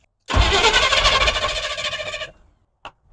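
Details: Long-sitting Squarebody utility truck, battery boosted, as fuel begins reaching the fuel filter. The starter spins steadily for about two seconds, the engine never catches, then it stops. Long crank, no start.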